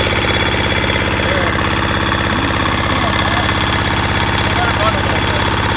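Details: Military-surplus Hatz single-cylinder diesel, unused since stored in 2003, first start: even chug at about two hundred beats a minute, rhythm steady and unbroken; idling healthy.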